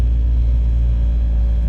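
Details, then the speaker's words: Ford Fiesta ST180 on its first test drive after fitting a Direnza aftermarket engine mount: a heavy, steady low droning rumble through the cabin from the stiff mount. "That is the test drive. That's the vibration from Direnza's mount. Yeah. Which is coming off now because that is just fucking shit."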